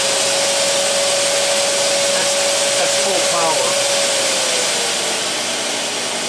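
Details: Festool CT36 dust extractor with its suction dial turned all the way up, hose connected for a sander: loud steady rushing hiss with a constant motor whine, holding even; normal operation at full suction.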